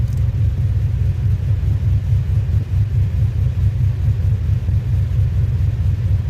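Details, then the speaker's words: 2007 Pontiac Grand Prix GXP, cammed V8, after HP Tuners ECM DOD-delete tuning: deep, uneven loping idle rumble, about one surge a second, shaking the hood; idling as intended. "oh ah yeah that sounds just like just like the Nic open header exactly what I wanted for the sounds of this thing like shaking the whole damn hood"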